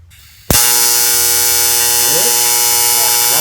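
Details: TIG arc struck without filler wire to show the puddle: the gas hiss and a loud snap at arc start, then a steady, harsh buzz like pissed-off hornets. Normal TIG arc.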